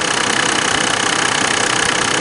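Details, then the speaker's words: 1999 Mercedes-Benz E300, OM606 turbodiesel, after replacing the failed belt tensioner shock (separated rubber rattled): smooth, even idle with a soft regular pulse, only faint injection-pump clatter, no belt rattle; now quiet and healthy. "absolutely quiet the loudest sound I hear is the injection pump actually oh this is fantastic this is huge difference"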